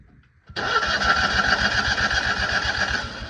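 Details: Citroën 2CV classic car: starter churns the twin over at roughly four beats a second with no firing at all; engine cranks but will not start.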